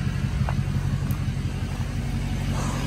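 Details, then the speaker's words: 6.0 Powerstroke diesel truck started the morning after slow throttle response and lunging on the highway: steady, even low rumble with no misses, surges or knocks; idles normally, truck sounds okay. "i'm gonna start the truck up and see if it's still doing it today and might take it on a little test drive well the truck sounds okay"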